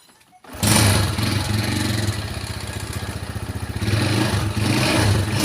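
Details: Yamaha Jupiter Z1 motorcycle after fixing a botched earlier repair and refilling with fresh oil: it catches quickly, then idles with a quick, even putter and picks up cleanly on throttle; running healthy.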